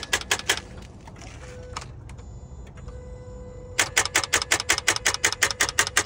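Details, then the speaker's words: 2012 Ford Fusion, about 118,000 miles, ran days earlier but this morning only gives rapid sharp even clicks in bursts with no cranking or engine turnover when starting; won't start, cause not stated. "Clicking. Alright, this one was running the other day, but can't get it to go this morning. As you heard, it's just clicking this morning."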